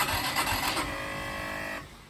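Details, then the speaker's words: Orcal Astor motorcycle, unused for a while, during an electrical fault search: the starter spins the engine for under two seconds without firing. Hard starting, cranking without firing. "J'ai utilisé le kit plusieurs fois, le démarreur électrique plusieurs fois. Beaucoup de mal à la démarrer."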